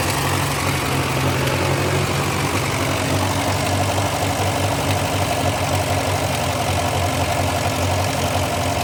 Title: MF TO35 After Rebuild Ticking/Knocking Sound